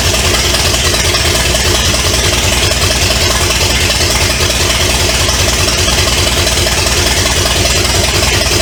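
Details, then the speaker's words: 1970 Pontiac LeMans with a Pontiac 350, abandoned for decades, running on two-stroke mixed gas before water pump and radiator are fitted: loud, steady V8 holding an even beat for nine seconds without stumbling; runs and sounds like it has power. "at least we know it runs and it sound like it's got power"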